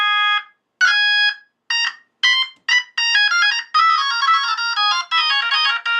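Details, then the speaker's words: Vintage Leslie upper horn driver (V21) on test tones at high volume, stepping through pitches with no buzz or rattle; clean, normal driver tone. "that sounds good that's good that's good clean v21 that sounds fantastic"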